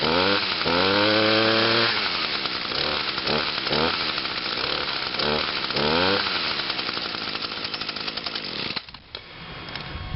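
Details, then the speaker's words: Two-stroke machine on TruFuel, started on choke with five primes: a high buzzing rev climbs smoothly, holds and drops off cleanly, with no sputter. It runs better since TruFuel, with no smoke. Normal running. "oh yeah I think since I put the true fuel gas in this machine it runs a whole lot better and it runs cleaner too it doesn't even smoke at all"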